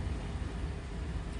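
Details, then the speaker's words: 2008 GMC Yukon V8 started cold after sitting overnight: rough, uneven sputtering misfire, then it stalls. Two-month problem only when cold, caused by a short circuit in the bank 2 sensor 1 oxygen sensor (HO2S). "شوف الحين بدأت المشكلة، شوف. يبدأ تفتف."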